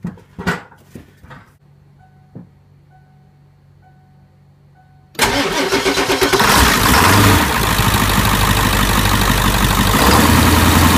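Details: 1996 Ford F-350 7.3L Powerstroke diesel after replacing a cracked, faulty fuel bowl and fuel pressure regulator: dash chimes, brief crank, quick start and steady even diesel idle clatter; running healthy.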